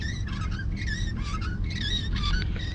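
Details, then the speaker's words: Van driving on road: repeated wavering high-pitched chirps from the steering wheel, which must be seated just right or it starts squeaking again within six months; already adjusted twice. "it squeaks I got to get back with Mr Mike and it'll be his third time adjusting it because it has to be seated just right or else within 6 months it'll starts squeaking again"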